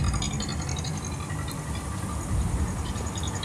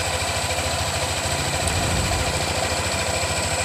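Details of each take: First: Yamaha NMAX 155 (new model), fairly young engine, CVT cover removed: rough, dry rattle over the low engine rumble from inside the engine's cylinder head; valve rocker arm noise. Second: Yamaha NMAX new (155) after replacing the valve rocker arms in the cylinder head: smooth, even idle with a steady low putter, no ticking or tapping; back to normal idle.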